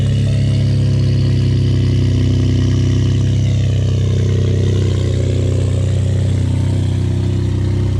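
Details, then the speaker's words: Ford F-150 3.5L EcoBoost real cold start after sitting overnight, with Lucas heavy-duty oil stabilizer and full synthetic oil: deep steady smooth idle, no rattle; owner suspected dry start or stretched timing chain previously. "all right guys so I'm very excited to let y'all know that after multiple days of having the Lucas heavy-duty oil stabilizer as well as full synthetic oil in my f150 we have not experienced a cold start rattle noise"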